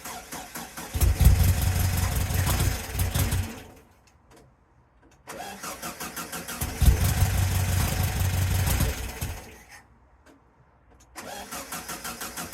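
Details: VW sandrail dune buggy, sat 18 months, first start: engine catches in uneven, lumpy bursts, dies and restarts, apparently firing on only three cylinders. Running very rough, possibly from a split vacuum hose.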